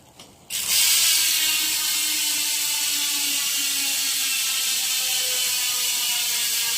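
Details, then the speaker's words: Hassns Pro 7 rear hub on owner's wheelset, phone mic without Bluetooth mic, coasting: fast even ratchet buzz, lower, deeper tone, no skips or grinding; healthy freehub. "Yung tunog niya, medyo lower tone. Parang ano, mas malalim yung tunog niya."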